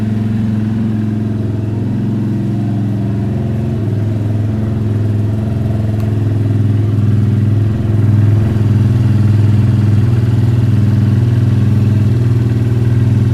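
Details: Hero Eco 150 single-cylinder motorcycle idling right after carburetor cleaning and reassembly: even low thrum at about four beats a second, holding steady with a slight swell mid-way; no knocks or misses.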